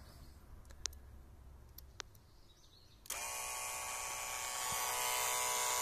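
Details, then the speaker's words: Renault 21 ABS hydraulic pump with its relay shunted across the two thick red wires: a few clicks, then a steady high electric motor whine as it charges; the pump runs normally. "Donc là, on entendait bien le moteur tourner et commencer à charger."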